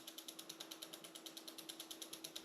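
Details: 1990 Raleigh Pioneer Trail hybrid, Reynolds 501 frame, near-mint and all original: quick, even ticking of about eight clicks a second as the rear wheel coasts, no grinding; the freewheel and hub bearings sound healthy.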